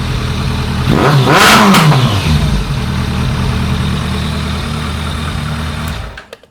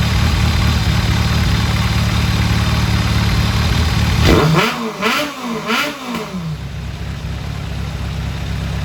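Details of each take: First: 2001 ZRX1200R carbureted engine after carb tuning: revs climb then stumble and break up near the top; cause was a forgotten bolt sealing rear to front air box, leaving a big gap – intake air leak. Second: 2001 Kawasaki ZRX1200R with CVK carbs, warmed up after tuning with pilot screws at 2 5/8 turns (factory 2 1/4, jetted lean), idle turned down; even idle, three quick clean throttle blips rising and falling smoothly, then a settled idle. Healthy running.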